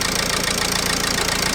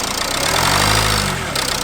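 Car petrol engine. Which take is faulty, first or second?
second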